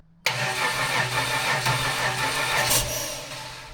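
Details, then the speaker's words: Used L67 supercharged 3800 V6 swapped into a Holden WH Caprice with a new ECU, first start attempt, belt not yet fitted: the starter cranks briskly in ragged pulses, about three per second, with no firing. Fuel is present; a fuel-pressure or airflow issue is suspected. "I think it's gonna go. Might need more fuel pressure. I'll check the bleed valve on it. It does have one. Yep, got fuel. No bueno."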